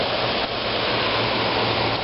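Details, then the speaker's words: 1995 Fedders window air conditioner, fan only on low speed, heard from outside: smooth steady air rush with faint low hum, no rattle or scrape; normal quiet fan operation. "I don't know if you can hear but she is running it's just the fan only the fan yeah and again the fan only pretty quiet"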